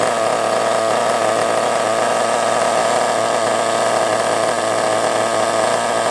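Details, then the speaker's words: Kyosho MP9 nitro RC buggy engine, first start after sitting 2 years: a high, buzzy, steady scream with a brief stumble near the start, sounding lean and fuel-starved. Owner suspects a fuel blockage or a poor fuel tank seal. "A little bit lean there, didn't like that very much, did it? I don't know why it went lean. Perhaps there's a little bit of a blockage in the fuel or something."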